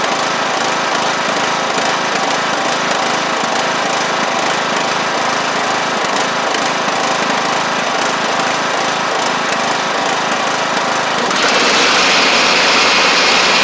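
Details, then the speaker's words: John Deere LA100 riding mower, long-sat, hard starting from valve issues, after cleanup: a loud, buzzy high-revving engine whose speed rises and falls slightly, a tiny surge left at higher RPM. Owner suspects it ran on a wired-up choke for a long time. "It's, uh, basically done. Uh, it's still got a tiny surge at higher RPMs, but let's see."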